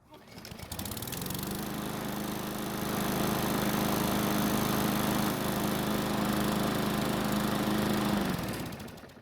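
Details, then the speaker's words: Garden Line lawn mower, warm after about three minutes of running: catches quickly on restart and settles into a steady, even buzz with no hunting; normal warm start, though cold starting is hard and valve lash is to be checked. "so this time it started back up without all that pulling that it needed when it was cold which is great news"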